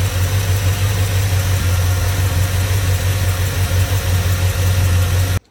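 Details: 2002 Chevrolet Silverado V8 idling with the valve cover off, valve train visible, after months sitting on old gas: lumpy uneven rumble of a misfire, injectors suspected dirty.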